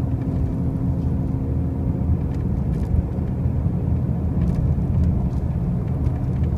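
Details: 2005 Pontiac Grand Prix with brand new wheel bearings and new tires, while driving: heavy steady low drone with faint constant hum, no knocking; loud noise of unknown cause.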